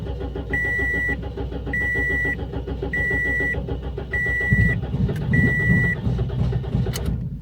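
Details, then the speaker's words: 2007 Toyota Yaris, not run in about 4 years, bad old fuel, after new spark plugs and charged battery: cranks and catches unevenly with a lumpy stumbling rumble under a chime; no fuel pump heard, pump suspected clogged and dead. "it sounds like a fuel related issue to me let me see if I hear the fuel pump I don't hear it turning on at all"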